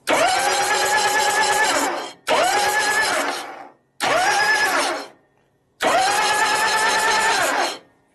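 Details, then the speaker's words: 1965 Harley Panhead 74ci FLH with freshly rebuilt motor, cranked in neutral without starting; four even brisk two-second cranking bursts, steady speed, no grinding or slipping; normal starter cranking. "the oil would go in here and we would crank it over until we got a little coming out of it"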